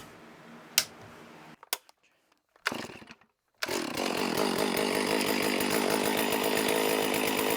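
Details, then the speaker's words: Stihl MS460 chainsaw first start after piston replacement, aftermarket muffler fitted: after a couple of pulls fires and holds a steady raspy two-stroke idle with even buzz, no stumbling; normal running. "assuming nothing bad happens I intend on running that saw tomorrow I'm going to go ahead and cut this video loose I'm excited that that saw runs so cool"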